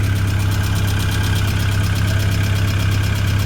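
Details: Tennant M20 sweeper with a Vortec 1600 engine on its first start after a head gasket and timing belt job: even, regular low chug at about three pulses a second, no misses or knocks.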